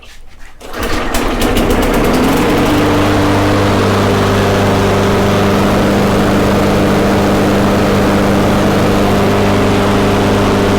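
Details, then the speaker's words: Poulan Pro two-stroke, spark plug gap corrected from about 0.015 in to 0.030 in, primed and started: catches and settles into a steady, even high buzz with no misses or surging; runs smooth after the fix. "see how much smoother it is so hopefully that was a better representation of what it should sound like"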